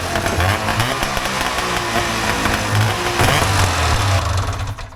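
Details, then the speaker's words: Cheap vintage two-stroke snowmobile blipped: a sharp, crackly bark and quick revs, crisp enough that the owner worries the ignition timing may still be a little too advanced. "You hear how crisp that was? Yeah, that's a little worrying. It might be still a little too advanced."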